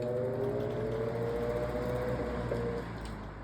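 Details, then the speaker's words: GE Vortalex fan: loud buzzing hum, felt through the floor, little torque; tone creeps up as the blades crawl round, then fades as the fan stalls again; motor hum with intermittent stalling. "Okay, so I can actually feel it buzzing through the floor. And there's a tiny little bit of torque in there which will allow to spin. I'd say that buzzing is loud."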